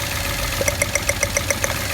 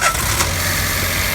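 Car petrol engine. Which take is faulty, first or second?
first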